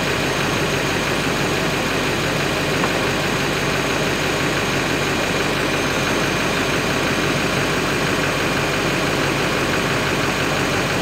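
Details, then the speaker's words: Totaled 7.3 Powerstroke diesel running again: loud, raspy, rich-sounding idle with hissy, puffing roughness over the clatter; exhaust broke off and sits halfway off right at the turbo, an exhaust leak at the turbo. "Now, it does sound a little bit funky, that's because the exhaust broke off. And it sounds kind of funky, and also, the exhaust kind of is halfway on and off right at the turbo,"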